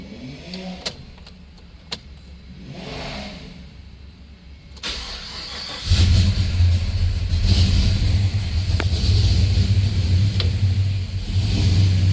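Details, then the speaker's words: V8 truck just after a DOD delete and new tune fires up into a lumpy, stumbling idle with a steady misfire on the passenger-side bank; MSD coils suspected, not confirmed. "sounds good, but he's gonna have to get the misfire checked out because it's very apparent. It's probably the MSD coils."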